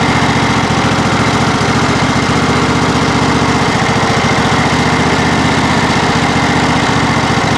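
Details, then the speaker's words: John Deere SST18 lawn tractor, 160 hours, after hydrostatic transaxle fluid change to synthetic: single-cylinder engine idling, loading down slightly as hydro pedals are worked forward and reverse while not moving, pumping oil; normal, healthy. "and now we just want to work these Pistons back and forth for uh forward in reverse you can hear the engine load down just a little bit even though it's not going"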